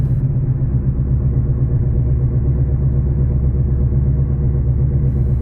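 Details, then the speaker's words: 1993 BMW 318is E36 coupe, 140 hp naturally aspirated petrol four-cylinder, about 195,000 km, holed silencer, driving: deep steady droning rumble following road speed under exhaust note; badly worn wheel bearing. "en roulant on entend un magnifique bruits de roulement totalement rincer"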